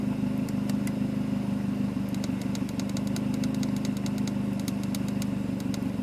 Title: Mazdaspeed3 rough idle high fuel trims